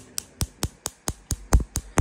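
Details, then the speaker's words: Wolf five-burner gas cooktop CG365P/S, customer complained of clicking without visible spark; this igniter ticks crisply and evenly at about 4.5 clicks a second, sparking straight to the burner, a normal good spark. "you see how nice it makes this um noise and it's sparking straight clean straight to the burner"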